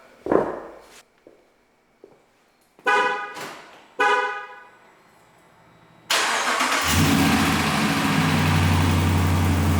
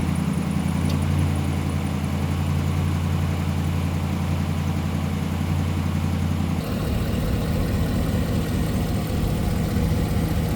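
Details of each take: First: 2017 Ram 1500 Rebel V8 after fitting new BD Diesel exhaust manifold on one side: starts and idles with a fast light tick from a leak at the manifold-to-downpipe bolts, fixed by tightening them. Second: 2017 Ram 1500 Rebel V8, cold-soaked for days, idling after exhaust manifolds replaced with BD Diesel manifolds: smooth even rumble, no exhaust tick or leak; slight cold belt squeal at startup.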